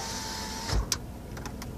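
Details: 2000 Dodge Caravan wheelchair-accessible van, passenger power window: a steady electric motor hum, a soft thud as the glass seats, then light clicks; normal operation.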